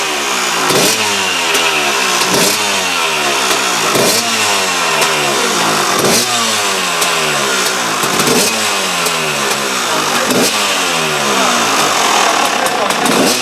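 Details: KTM two-stroke after replacing the reed valve: crisp revving up and down cleanly with a sharp exhaust crackle and no misfire; much better than before the repair, running well.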